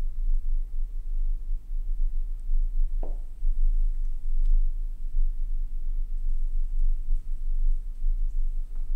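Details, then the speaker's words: Hi-fi bass-reflex speaker: only a deep, smooth bass tone with barely any rushing or chuffing air from the port, so port airflow noise is normal. "tu vois on l'entend pas ça c'est très bien"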